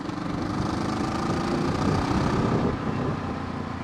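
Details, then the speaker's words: Kawasaki ER6f Ninja 650R twin idling loud, raw and raspy with a harsh unmuffled bark: the exhaust cracked and came away from the silencer on a ride. It has less torque and power than normal, and the down pipes and silencer are to be replaced. "Not as much torque as normal, not as much power, because obviously you're not getting all that feedback, that pushback, or that blowback, or whatever you call it, that the silencer would give."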